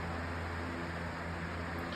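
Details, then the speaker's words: Lasko 18-inch table fan refitted with a 16-inch Optimus blade, running on high. Smooth, even rush of air with a faint steady hum and no ticking or rubbing; runs cleanly. "and that's actually whipping out a pretty good breeze, not going to lie. And actually, you might not be able to hear it, but it even sounds like a lost cyclone pedestal fan a little bit."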